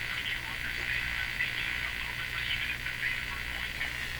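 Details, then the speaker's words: FADA Model 652 Catlin tube radio with loop antenna under checkup; uneven crackling buzz and chatter over weak station audio, electrical interference from an untraced household source that would disappear at another location. "I take this to another location this noise will disappear and you just hear the station clearly"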